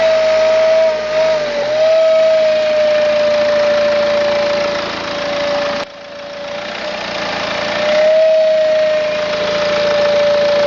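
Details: 2009 BMW E90 320d diesel, 130,000 km, idling with a steady high whistle that wavers slightly with engine speed; turbo failure suspected, not confirmed.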